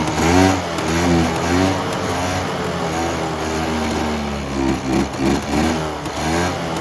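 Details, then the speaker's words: Polaris Trail Boss 350 two-stroke quad abandoned 15 years, fed poured gas: quick rev blips then held high near the limiter, crisp and even, running strong. "wow wow sounds good we going to put her on the limiter for a minute straight I'm kind of impressed as crappy as it looks"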